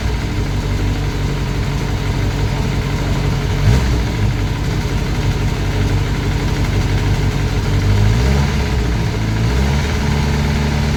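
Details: Classic Mini turbo, first start, ECU on laptop with lambda sensor: rough, uneven knock under a lumpy low idle; sounded almost like a big end but felt at the rocker cover, so valvetrain knock.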